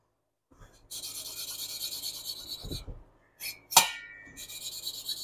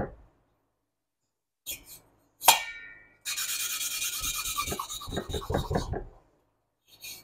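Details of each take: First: Hand-lapping valves on a 1976 Porsche 912E Type 4 2.0 cylinder head: soft, even rasping that quiets with no tonal change, meaning the valve is properly seated. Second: Hand lapping valves on a 1976 Porsche 912E Type 4 2.0 cylinder head: gritty, scratchy rasping in short bursts while the seat is not yet bedded in.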